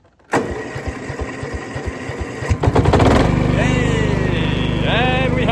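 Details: 2004 Honda HF1211 ride-on mower after starter motor replacement, choke on: slow cranking pulses, engine catches at about three seconds then settles into steady, even running with no misses.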